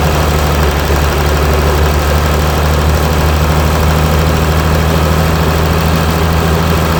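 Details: Mercedes E320 CDI S211, 3.2 V6 diesel 224hp, 250,000 km, 7G-Tronic, DPF and catalyst removed, cold start after a week, smokes slightly on start: loud deep diesel clatter with slightly uneven throb underneath; rough cold idle.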